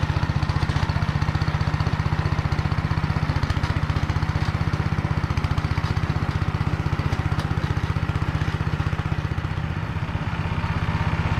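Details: Motor Sich rotary tiller driven through the Kamyansky gearbox, rebuilt after breaking with all 3 bearings replaced, under load in hard ground after barley: steady, unbroken beat near four pulses a second, no grinding or knocking; normal running.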